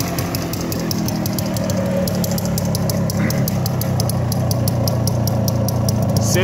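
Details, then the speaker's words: Minsk Leader 3.113 two-stroke motorcycle with an Indian Pako carburettor: crisp, rapid popping exhaust at steady idle with a light high ticking; it runs much like an MZ and sounds good. "Мотора работи долу-горе като МЗ, наистина изкарва добър звук."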